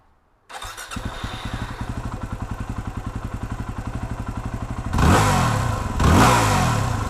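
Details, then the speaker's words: 2008 Yamaha WR250R single-cylinder fires up, idles evenly, takes two quick throttle blips without bogging after fuel pump and pressure regulator replacement to fix low-fuel-pressure bog off idle; still not fast off idle. "so there you go I think this made a big difference on this bike it's still not real fast off of idle and I think that's just inherent to what a wr250 is"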